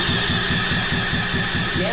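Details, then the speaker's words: 125cc drift trike engine, forklift-damaged, with battery booster on: steady rhythmic starter chugging with a whine on top that never catches; spark is good but no fuel arrives, and the owners suspect a clogged carburetor. "I expected it to run, but not... oh, there's no fuel. No. Oh, maybe the carburetor is clogged up."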